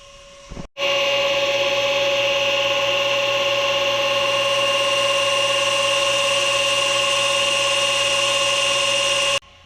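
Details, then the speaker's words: Roughly 25-year-old Hayward pool pump that had seized and was freed up: loud steady whine with hard tonal hum and rough edge once running, far noisier than a healthy pump; considered fried, replacement coming. "That pool pump's fried."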